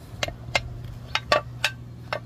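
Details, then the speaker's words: 2003 Toyota Camry 3.0 with metal-on-metal noise when pulling away and turning: sharp, dry uneven ticks, about six in two seconds, over a low hum from a lower control arm ball joint, worse on the driver side; worn joint suspected, arms being replaced. "Esto no debe de sonar así, mire. Debe de estar más más duro."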